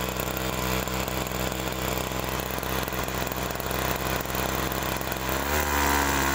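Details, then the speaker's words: Agricultural sprayer small two-stroke engine: buzzes unevenly, then stumbles with a hollow bog ("ngok") as throttle opens instead of revving cleanly; carburetor fault, common on sprayer engines. "nah itu tadi ya kasusnya karburator kalau digas itu berbunyi ng terutama kasus seperti ini adalah paling sering terjadi di mesin semprot seperti ini ya"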